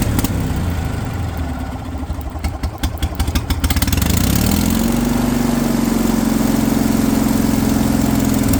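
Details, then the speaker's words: Kohler pancake twin on a three-wheeled street sweeper, revived after sitting over 20 years, with a fuel pump that would not work properly: catches after cranking and runs with a wavering, hunting, uneven beat; unsteady running. "fuel pump would not work. I'm keeping quiet here, guys. You can appreciate the sound of this thing come to life first time again. And even though that little demon would let it run consistently, I'm still pretty darn happy with it at this point in time."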